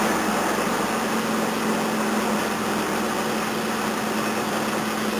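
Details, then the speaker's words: 1981 Toyota Corona RT132R, 18R-C engine, cold start at about 10°, choke on then turned down one stage: uneven, lumpy, hunting idle with a faint tappety edge and the bonnet shaking. Rough running from tight valve clearances; viscous coupling also seems tired. "Yeah, it's not running very well. It's about to show the bonnet wobbling around everywhere."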